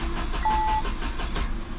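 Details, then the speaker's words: Engine of a 2017 Peugeot 208 cranked on the key for oil pressure after a wet belt change, coil packs disconnected so it cannot start: steady, even churning turnover with a short chime, never fires. "I've got no car packs connected, so it's not going to start. I just want to turn it over on the key. Just get a bit of oil up to the top."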